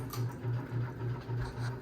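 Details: 52-inch bronze unknown-brand Hugger ceiling fan (mixed Harbor Breeze, Hunter and Patriot Lighting parts) on high speed: a low hum swelling and fading about four times a second while the fan visibly wobbles. Imbalance suspected, not confirmed.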